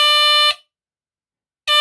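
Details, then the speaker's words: One of three battery-powered 1978 Westclox smoke alarms: loud shrill buzz for about half a second, then over a second of silence before it repeats; the alarm works normally. "Alright, I'm going to try this. Oh, okay, it works. Oh, fussy. And it moves too."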